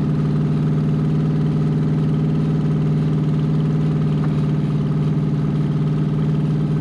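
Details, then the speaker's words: C5 Corvette V8 drivetrain out of the car, unknown-condition engine, ECU connected, first start: loud, deep, even burble at steady idle through open headers, no misses; all eight seemingly firing per exhaust-port temperatures. Normal running. "it seems like it's running on all eight wasn't a huge amount of smoke that came out it sounded like it was smooth"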